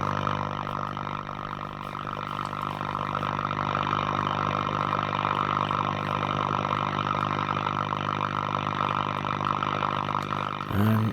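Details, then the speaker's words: Breville "Pick-Me-Up 5" valve radio on dim bulb, supply raised to 240 V, about 140 V HT, filter caps reforming: steady low droning mains hum with buzzy overtones, no stations heard, oscillator uncertain. "Don't know whether we have an oscillator or not. I can't hear the stations."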